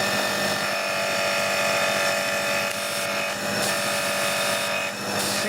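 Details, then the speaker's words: Annovi Reverberi pressure washer after repairing a jammed valve, freeing and greasing the piston, and changing the motor and pump oil: an even, steady motor-and-pump drone at one pitch, no knocking or surging. Normal running. "it's all freed up the piston is in and out nice and fairly now all nice and greasy and oiled up and it should work better now hopefully"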